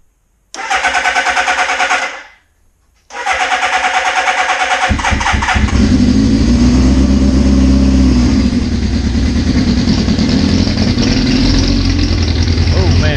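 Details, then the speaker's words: 1981 Suzuki GS650GL during rebuild, fresh battery, fuel flowing, choke on: two bursts of steady cranking, catches around five seconds and settles into even continuous idle; healthy start. "we are running"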